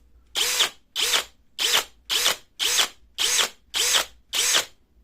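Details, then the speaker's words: Cordless drill with one-hand single-lock spindle lock (chuck turns without the gearbox) run at speed 2: rough ratcheting "krek krek" rattle at the end of each spin-down as the spindle lock engages; the noise is absent at speed 1. "di sisi lain bor dengan sistem penguncian satu tangan seperti ini ketika kita Nyalakan terlebih di speed du nanti di akhir perputaran akan terdengar suara kasar seperti krek krek krek krek seperti itu"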